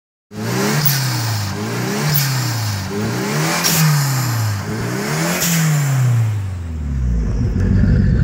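Revs rise and fall unevenly about every second and a half with some clatter, like the engine is hunting for fuel. Cause suspected, not confirmed.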